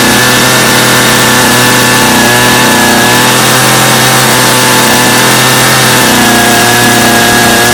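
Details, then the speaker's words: Customer's Stihl chainsaw after reassembly, original Bosch spark plug, started from full choke; high two-stroke buzz rising and falling cleanly with throttle, holding steady; idle a little high but otherwise running well, little carb adjustment needed. "well now seems pretty good to me what do you guys think not too bad for a little bit of work I think we got a good running saw there"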